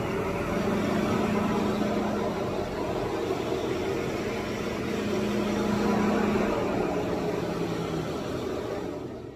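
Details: 2021 GMC Sierra 1500 3.0L Duramax diesel at idle after using the block heater in cold weather; loud steady roar of the radiator fan stuck on high until the battery cable was disconnected for 15 minutes.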